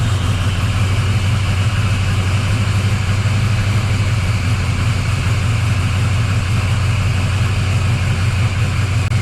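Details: 1979 Camaro Z28 V8 after replacing the noisy Pete Jackson gear drive with an Edelbrock double roller timing chain, new balancer and water pump: first start, steady even idle rumble with no whine; normal idle.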